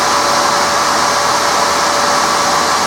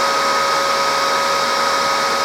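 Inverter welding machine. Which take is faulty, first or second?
second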